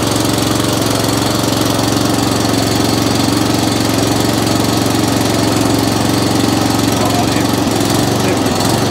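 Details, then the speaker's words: Atco Commodore B17 cylinder mower engine, run with a little choke: a steady single-cylinder chug about three beats a second with uneven pulsing revs. It is hunting and surging because too little fuel is being delivered (lean mixture). "now if you've got a hunting and surging issue then like i said that's fuel delivery issue now that's telling me we're not getting enough fuel coming through"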